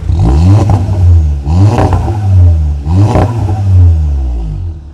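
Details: VW Golf at an auction yard, recorded outside in the rain. Three quick throttle blips, the deep exhaust note swelling and falling back cleanly each time, with no knocks or rattles; sounds healthy.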